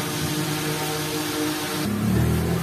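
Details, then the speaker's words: Two-day-old Astron mini desk electric fan, after its blade alignment was corrected: a steady, even motor hum and air with no wobble, rattle or thump; the vibration is gone. "Ayan guys Oh wala na wala ng vibration kahit paikutin natin yan dapat walang vibration Ayan hangin lang maririnig niyo yan"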